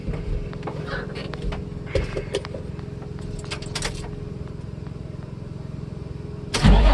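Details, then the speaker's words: Nissan 350Z after the interior wiring harness was cleaned and reinstalled; starts cleanly and settles straight into a smooth, steady idle with an even beat and no knocks or misses; healthy engine. "hey guys that sounded very healthy that sounded really good we must yeah we did the job right guys I'm really happy"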